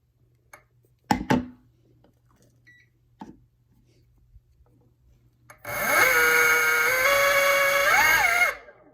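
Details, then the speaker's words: E-bike motor with controller phase wiring mismatched to the motor: harsh, loud, wavering whine stepping in pitch, startup hesitates and draws high amps when throttled. "The startup is horrible, hesitates, it's too loud, and if I push on the throttle, it'll give me some high amps."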